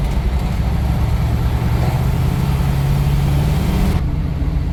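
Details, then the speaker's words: International Scout with freshly installed GM Performance 430 hp LS3 and 6L80 six-speed automatic, cruising at 60 mph, 1,800 rpm in sixth gear with the torque converter locked: low steady drone, no knock, tick or miss; normal running. "this thing is super happy grow at 60 MPH at 1,800 RPM everything's for six gear trainy locked up"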